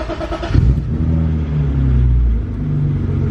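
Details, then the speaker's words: 25-year-old barn-find BMW E36 325i after new spark plugs for a misfire: the engine fires and revs with a steady, even low drone and no stumbling or missing. It runs smoothly; the misfire seems fixed. "it seems better already let's pull it"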